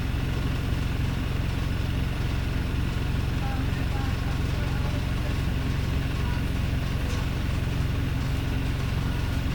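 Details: Wrightbus StreetLite bus, Daimler OM934 diesel with Voith gearbox: heavy idle with a steady low drone but an uneven, lumpy beat underneath; rough idle, cause not evident.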